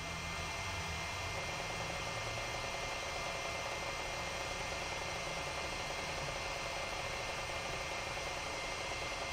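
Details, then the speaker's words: Sharp PC-4500/PC-4521 laptop hard drive on first boot after the arm-locking mechanism was bent out of reach: quiet steady high whine with faint soft mechanical activity; drive now spins up and runs normally. "it sounds like it's doing something this time"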